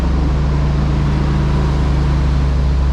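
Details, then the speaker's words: 1992 GMC K2500 454 big-block V8 with rebuilt TBI, new fuel tank, pump, cap, rotor, wires and plugs, after sitting about 15 years: deep, steady, quiet rumble, no knocks or misses, slightly fast idle; owner suspects a vacuum leak or two; normal idle. "It just runs. Now it's awfully quiet for a 454. Still got the stock mat and all that, but it's like it was parked yesterday."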